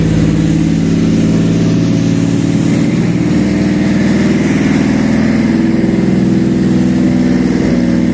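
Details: Toyota 1MZ V6 contract engine, first start on a test stand after compression check: even running with a small rev rise partway, no tapping or knocking; healthy engine.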